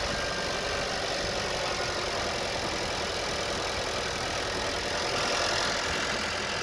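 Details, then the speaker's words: 2021 Nissan Sentra after a no-start, no-fuel fault: engine catches and settles into a steady, even idle with no misses or knocks over a hiss; running healthy. "Okay, now it's running."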